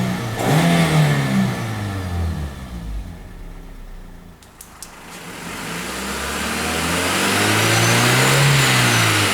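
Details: 2007 Toyota Matrix, 1ZZ-FE, C59 5-speed manual, about 79,000 miles, right after new clutch kit and synthetic transmission oil: thin, high supercharger-like whine rising and falling with revs, regardless of clutch, gear or movement.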